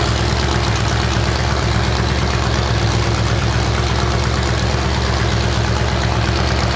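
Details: 427 big-block Chevy on an engine run stand at first fire after a long time unrun, distributor timing adjusted: loud, deep, steady open-header rumble with an even lope, no knocks or ticks; normal idle.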